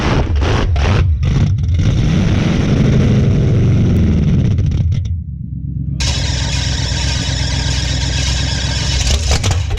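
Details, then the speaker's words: Old revived car engine start after sitting, oil, Marvel Mystery Oil and PB put down the cylinders beforehand, burning off smoke; cranks a few times, catches, revs, then runs with an even steady beat and no knocking; normal running. "got her fire up last night i know y'all couldn't see it too good but she did fire up she's sounding good"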